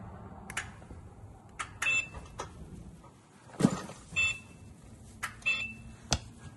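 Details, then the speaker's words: Rubicon DX-series (DX08/DX11/DX14/DX17) mobility joystick after its button sound is switched back on from silent mode: short, high, clean beeps among quiet handling clicks; working normally. "One more time. This is silent mode. This is beeping sound is back."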